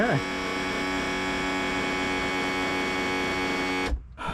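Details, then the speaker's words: 1991 Four Winns boat with OMC 4.3L sterndrive: trim pump motor hums steadily at one pitch and cuts off cleanly; the trim works up and down normally. "Oh, that's up. There we go. She's gone down."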